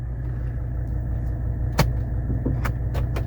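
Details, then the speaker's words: 1984 Mercedes 300SD (W126 turbodiesel) idling after vacuum leak fix in central locking; dedicated trunk vacuum pump hums steadily as all door locks snap over crisply and quickly; central locking working normally. "beautiful they all locked let's unlock it super fast vacuum pump is working great"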